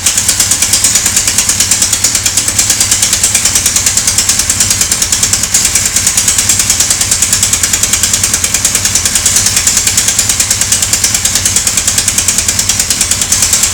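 A sharp, metallic tick repeats about three times a second over the engine, steady and crisp; an engine knock of unknown cause.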